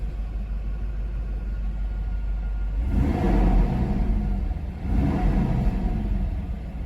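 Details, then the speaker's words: 1991 Mercedes 500SL R129, about 73,000-75,000 mi: revving brings a deep rushing fan roar that swells with engine speed; the aftermarket fan clutch engages too often and overcools, and the owner would return it if keeping the car. "the clutch keeps engaging too often, meaning that it sounds a bit, you can hear the fan when you rev up, and yeah, it's cooling too much."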